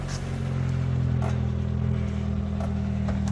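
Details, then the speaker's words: Toyota Tercel, reinstalled 3A-C engine, running before the first test drive. Smooth, steady low hum with a light rhythm and no ticking or knocking. Sounds much better, running well. "Oh yeah, she sounds really good now. That sounds much better."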